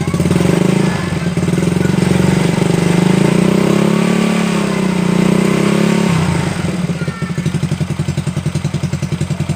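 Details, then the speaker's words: Honda Supra Fit motorcycle after repair of cam chain (rantai keteng) and damaged chain guide, previously klatak rattle: clean rev rising and falling smoothly, then steady even idle with no clatter; normal idle and revving. "Guys, mantap kan, suara hilang dan mesin menjadi halus lagi seperti semula."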